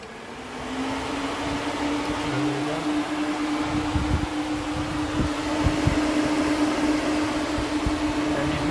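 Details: Ford SVT Lightning pickup, new replacement electric cooling fan after old fan motor failed, first test run: steady whirring spins up to speed and holds even with no rattle or scrape; normal fan operation.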